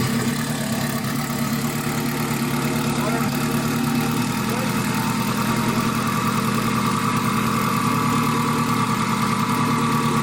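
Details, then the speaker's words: Acura RSX K20 with stock turbo kit, first startup after build, fresh oil and coolant: fires up and settles into a steady, even idle with a smooth, unbroken beat and no knocks or misses; normal idle. "we did the first startup everything went really smooth the engine sounds really good"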